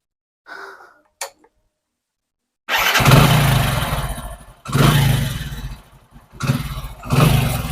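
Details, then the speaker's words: Hero Honda Splendor Pro after valve clearance adjustment to fix valve tik-tik noise, engine guard off: small single starts after a few tries, blips evenly with no top-end ticking; original sound restored, normal idle. "இப்போ பாருங்க, engine வந்து originality sound வந்துச்சு. அருமையாக ஓடுது, எந்த ஒரு சவுண்டும் வரல."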